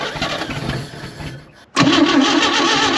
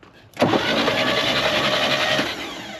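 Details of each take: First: Chevy Bel Air six that sat about 45 years, timing possibly off, running without exhaust or cooling system: brief crank, then it fires and runs loud and rough but with no knocking. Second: 1960 Chevrolet Bel Air, off the road about 45 years, engine turned over by jumping the starter solenoid: sudden harsh grinding for about two seconds then fades; suspected rust clumps or debris in the flywheel.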